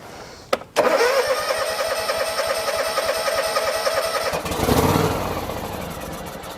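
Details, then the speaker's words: John Deere X324 mower that sat for a while, dead battery, on a booster pack, choke on, sprayed with starting fluid and carb cleaner: cranks, catches and runs rough briefly; fires only on spray, fuel delivery issue. "Yep, so it fires off with that. So dead battery and a fuel delivery issue."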